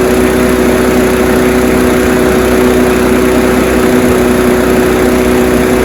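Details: Honda HR173 push rear-roller rotary lawnmower after a detailed carb clean and service, started on choke: constant even drone at steady pitch, no surging or misfire; it revved high on start, which these all do; runs normally.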